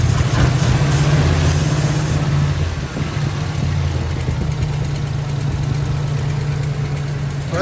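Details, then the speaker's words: 1997 Lincoln Town Car at idle: low, uneven loping beat. Unplugging the number one coil changes nothing despite a strong spark, so the cylinder is dead; owner suspects fuel starvation rather than an ignition misfire. "so we've got lots of Fire coming out of these coils but when we pulled the number one or that first one it comes over here and there's nothing it doesn't change the way the motor runs at all"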